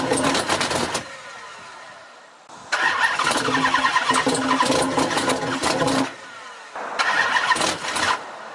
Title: No Start